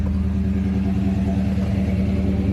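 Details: Car on cheap Temu knock-off Flowmaster two-chamber mufflers, replacing 15–20-year-old Flowmaster 40 series, warm at about 200°F: at idle, a deep, steady, even exhaust burble with no rasps, leaks or rattle. The mufflers sound healthy.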